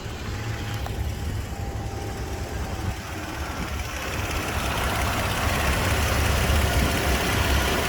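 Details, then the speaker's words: 2007 Toyota FJ Cruiser V6, 345,000 miles, idling just after start-up: steady, even, no vibration, quiet lifters, no knocks or ticks; sounds like a healthy, brand new engine. "well I'm not sure if you can see this engine has no vibration at idle none wow that's Rock Solid absolutely Rock Solid no adverse noise sounds like a brand new engine"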